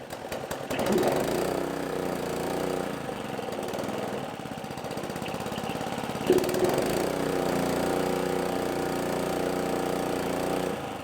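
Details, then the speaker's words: Roadside-free old gas-powered air compressor, first start on choke after repairs, with the tank drains removed so it won't build air. It starts right up and holds a steady, even beat without misses or knocks. It runs fine, with a little smoke from old oil and grease. "it runs it started right up and man I can't say anything bad about it at this point other than a little bit of smoke"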